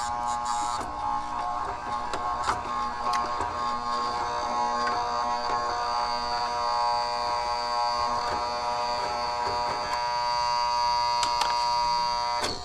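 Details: Residential AC condenser on a no-cooling call: new 40 amp Titan Max contactor with lugs, its coil energized by low-voltage wires while the high-voltage side is disconnected, gives a steady, even electrical hum with faint buzz; normal contactor coil hum.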